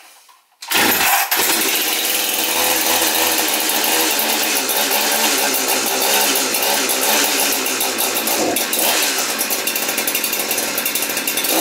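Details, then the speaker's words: Husqvarna 372XP chainsaw, which stalled when warm, catches within a second after a Walbro carburetor rebuild with L screw at 1 1/4 turns, holding a steady high buzzing idle with no bogging; runs normally. "How easy will it start again is the key. Not bad."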